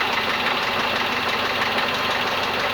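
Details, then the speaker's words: Renault Logan engine at warm idle, quiet when cold, knocking starting around 45 °C after rocker shaft bolt repair: steady light tick-tick knocking through the engine note plus a second unidentified knock in the head, beyond the rocker shaft. "нигде ничего не стукнет до 45 градусов нагревается появляется такой тык тык тык"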